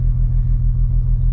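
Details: 1950 Dodge Meadowbrook engine with sludged oil pan, warming up with choke held closed by screwdriver before oil drain: deep, steady even rumble, nothing riding over it; oil pressure 40, charging, normal idle.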